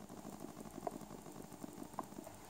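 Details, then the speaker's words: Cheap USB-powered generic PC speakers with a 3.5 mm input: faint irregular clicks and ticks a couple of seconds apart over quiet hiss, caused by a leaky 1 µF 50 V capacitor passing DC to the coil; replacing it fixes the ticking. "and I replace the first capacitor that is over here I accidentally break the pod and it didn't help but I'm located the cap that is not working and this is that one over here and right now you can hear there is a problem"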